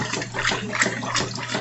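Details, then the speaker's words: Washing machine sloshing smoothly through its wash with no knocking, after a missing screw that caused a knocking noise during washing was fixed. "Bueno mi gente pues como pueden escuchar ya se le quitó ya se le quitó el ruido"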